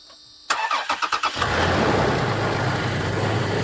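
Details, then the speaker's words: Wrecked Toyota Tacoma at a salvage auction, battery found lying on its side: brief test start, quick cranking then a smooth steady idle; it sounded good for the seconds it ran. "But it sounded good for the seconds that we ran it."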